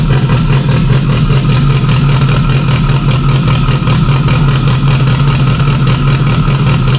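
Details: Freshly installed stock OEM Subaru EJ257 longblock in an 1100+whp STI, first start with a fuel leak under the intake manifold. It gives a steady low burble with a firm flat-four lope, no knocks or misses; normal healthy idle.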